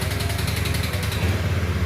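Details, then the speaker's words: Honda Beat scooter with imitation camshaft and welded imitation rocker arm, after a no-start repair: low uneven idle with quick regular light ticking from the cylinder head at initial start; suspected welded decompression not opening immediately; normal when revved. "Mungkin karena ini kita las, jadi posisi dekompresinya itu nggak langsung ngebuka. Jadi klepnya itu di headnya itu agak bunyi. Tapi kalau digas dia normal."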